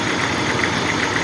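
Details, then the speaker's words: Toyota Corolla at idle warming up, fuel pressure 40 psi (spec 44), oil pressure 50 psi and dropping as it warms: steady idle with a busy metallic clatter over the engine; engine noise with a fault, source not yet identified. "Ese es el ruido y el carro tiene ese ruido y tiene la falla."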